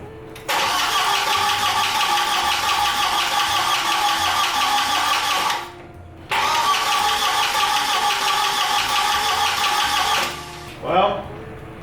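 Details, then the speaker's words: Audi 1.8T after engine swap and timing belt install, two long steady cranking bursts without firing; owner suspects no compression, plans a compression test; crank no start. "cuz also I don't know if you guys could hear it and maybe I'm just freaking out but it doesn't really sound like I have any compression"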